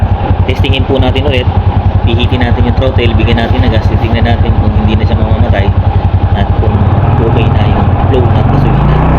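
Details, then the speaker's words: Flooded small single-cylinder carbureted motorcycle after draining water from the carburetor and opening the fuel tank cap: steady idle about four beats a second, then revs cleanly without sputtering or stalling; fixed. "Atting pansin po natin hindi na po siya namamatay. Hindi na po nagpapalya kumbaga matining na yung pinakaidling niya."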